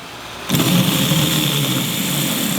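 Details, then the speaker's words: Starter motor bench-tested with power fed straight to the motor lead, bypassing the solenoid. It spins up at once to a steady, even whirr with no grinding or stutter, so the motor itself sounds good. "so it's good so it's good sounds good normally I would do this test 20 times if it if it passes 20 times it's going to work in the car"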